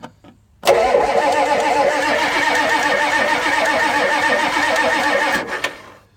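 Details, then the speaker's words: 1984 Ford F-250 6.9 diesel, sat since November 2016, glow plugs cycled about six seconds and block heater plugged in at about 55–60°F: about five seconds of steady starter churning with no firing; cranks but no start, owner suspects no fuel or air in injection pump. "nothing at all so I'm pretty sure this truck this is not getting fuel haha for whatever reason you don't want to burn the starter up by cranking it too much"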